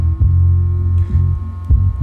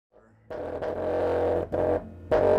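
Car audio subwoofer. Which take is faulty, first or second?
second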